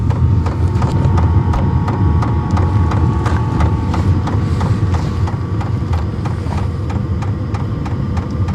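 Steady low fan rumble with a faint whine and regular light ticking from the fuel pump; the diesel heater is running normally.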